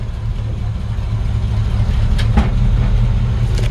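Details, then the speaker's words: 1953 Ford F100 with Chevy 350 V8 and 350 Turbo automatic, backing up in reverse: deep even V8 rumble rising slightly under load, a couple of light clicks; engine runs well, possible minor exhaust leak suspected. "engine runs fantastic like I said it's this kind of like Grandpa's Old Farm truck"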